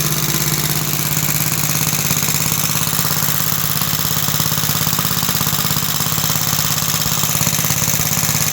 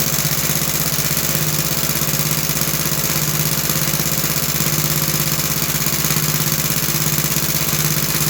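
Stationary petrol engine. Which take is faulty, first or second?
first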